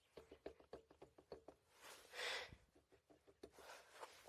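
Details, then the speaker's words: Yamaha Blaster ATV, axle rocked by hand: sharp light clicks about five a second from play in the worn sprocket-side axle bearing; the other side is solid. "what i found out is that's just one of the bearings that's bad the sprocket size the side that's bad"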